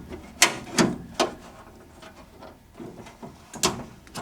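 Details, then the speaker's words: Triumph passenger door window regulator after refitting at midpoint with adjustments, winding up and down normally; sharp uneven clicks and clunks come from bolts only loosely fitted, before cleaning and greasing. "So, I've put it back in. Did a couple adjustments and the uh it's going up and it's going down."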